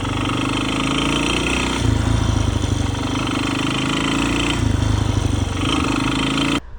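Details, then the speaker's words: 35-year-old Honda XR200R single-cylinder junkyard engine after top-end rebuild, crankshaft with lots of play: heavy rapid knocking every stroke, worse as revs rise; bad rod knock, needs a new crank. "um and I lost it uh it has a lot of play it has pretty bad rod knock um I'll splice in a video here so you can hear"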